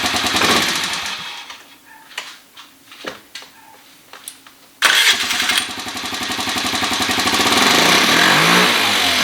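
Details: 2013 Kawasaki KFX50 quad being carburetor-tuned with the air cleaner refitted: small single starts after quiet clicks, then runs with uneven, surging beats and won't settle at idle; mixture still off.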